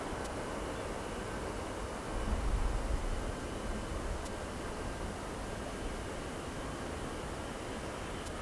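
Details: Boeing 707-358C (9Q-CVG, Pratt & Whitney JT3D-3B engines) takeoff from Oostende runway 08 in 1996. A steady, even jet roar swells then holds with no bangs or pops: a normal takeoff after an earlier aborted run with a compressor stall.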